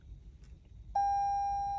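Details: 2018-2020 Toyota Corolla/Camry electronic parking brake, ignition on for the brake-pad service release procedure done without a scan tool: single steady high-pitched beep holding over quiet cabin background; parking brake warning sounding in service mode.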